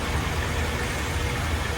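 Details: Mazda3 automatic after a transmission fluid change for slipping and jerky shifts, idled about 30 minutes warm: steady, even idle with no clunk, slip or rev flare as forward gear engages; clean engagement.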